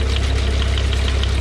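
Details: John Deere No. 5 sickle mower on a tractor PTO, cutting short grass: even clatter about six beats a second over steady tractor drone, no binding or hard knocks; it cut perfectly fine, running properly.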